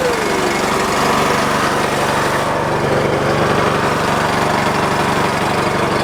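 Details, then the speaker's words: Husky 3650 generator holds a steady, even idle with no hunting or surging after the governor was readjusted; before the fix it ran full-on instead of idling and raising throttle only under load. "we were when we started up before it was running full-on and it shouldn't run full-on it should run kind of an idle"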